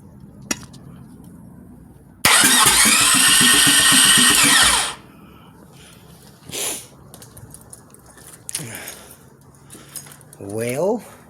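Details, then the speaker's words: Engine with Comp Cams XPZ cam, brand-new starter, jumped directly, hard to turn by hand: strong three-second crank with even quick compression pulses about four or five a second; normal cranking compression. "Man, whenever I turn it over by hand, it's like super hard, but I guess that starter just being brand new, it's just no problem for it."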